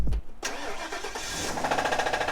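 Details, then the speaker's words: Police prisoner transport van with 108,000 miles, sat a long time without being driven, started on a jump box after a dead battery: brief crank, then a quick rhythmic tapping over the idle; suspicious knock at start-up, cause unknown. "since she's been sitting for so long she has like this suspicious knock on it go ahead and start her up"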